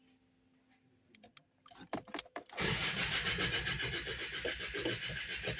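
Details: Land Rover Discovery 2 Td5 diesel non-runner on a weak battery, new crank sensor didn't help: after clicks it cranks with a steady chug but never fires; fuel pump hisses as if sucking air; fixed with fuel regulator.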